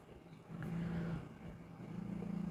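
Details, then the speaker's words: Hyundai Grandeur TG 2.7 gasoline V6 at idle after timing belt replaced and timing marks correctly aligned; smooth, even beat with no stumble or missing cylinder. Year-long random multi-cylinder misfire was caused by wrong timing (possibly belt slack or tensioner), not plugs, coils or injectors. "타이밍 인치를 한번 확인해 보시면 이런 식으로만 정확하게 맞춰주시면 해당 차량의 증상은 없어지겠죠. 부조도 없어지고 원래의 정상적인 엔진으로 돌아오는 겁니다."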